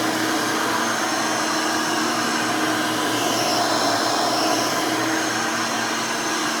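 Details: Hoover Elite 600 upright vacuum rebuilt with a new 7 amp motor and a retrofit 20-blade fan from 12 amp models: even, steady whoosh with no grinding, rattling or surging; runs smooth, fairly quiet, almost like the original 6 amp.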